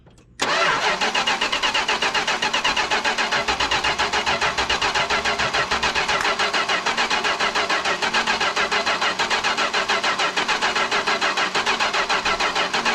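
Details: Chrysler 440 big block from an abandoned 1974 New Yorker, cranked with a temporary water-pump belt after much cranking without oil pressure: starter churns steadily about three and a half beats per second for over twelve seconds without catching; hard start, ignition switch suspected.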